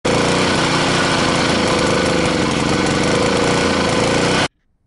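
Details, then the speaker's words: Honda GCV160 small petrol engine with choke off running with a surging, hunting idle, starving for fuel; cause is a blocked carburetor jet. "so as you can see when when we pulled the choke off it struggled for petrol and struggled for fuel so that's the problem"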